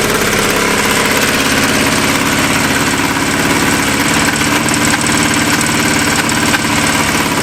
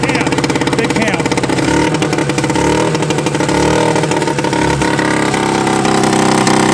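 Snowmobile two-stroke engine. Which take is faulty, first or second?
first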